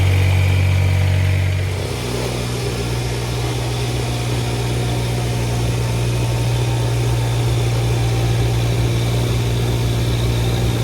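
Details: Kubota BX1850 diesel tractor after replacing both fuel filters (had low idle and sputtering) and bleeding air: settles from start-up into steady even idle, no dips or sputters; running normally.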